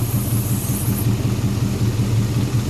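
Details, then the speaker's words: Homemade racecar V8 on its first start, idling with little fuel in the tank; it also has a vacuum leak at the brake booster. Deep, lumpy idle with pulses dropping out irregularly; sounds like a nasty misfire, cause unconfirmed. "uh it's idling it sounds like it's got a nasty misfire ah"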